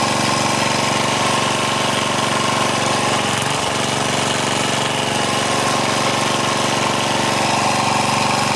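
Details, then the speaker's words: Craftsman four-stroke edger, Tecumseh engine, after moving governor linkage to correct hole, throttle under halfway: steady even run with busy rattly top, no hunting or surging; normal running. "that was it well that was a super easy fix uh sorry my neighbor just uh fired up his lawnmower over there but that was a super easy fix i could tell it was a governor problem"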